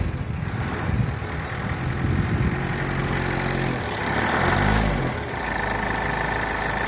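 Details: Mitsubishi L200 4D56T diesel: uneven clatter with sharp knock, appeared at 70,000 km, persisted after valve adjustment and bench-tested injectors at 98,000 km; one injector knocking, disappears when throttle released.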